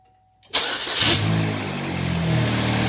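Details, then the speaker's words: 2008 Chevy Cobalt 2.2L automatic after replacing timing chain, water pump and timing cover gasket and torquing previously loose cam sprockets: quick crank, clean catch, smooth even idle with no rattle or slap; healthy, no check engine light. "Now that's the way it's supposed to sound."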